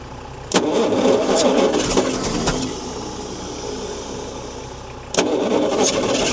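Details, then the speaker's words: Long-sitting 1972 Bedford J series truck petrol engine, ignition timing corrected, runs rough on about three cylinders with a decent knock; owner suspects no compression on a couple, possibly a leaking vacuum booster diaphragm: repeated cranking and stumbling catches that never settle. "She certainly sounds crook in the engine there somewhere. She might be scrap metal, old girl."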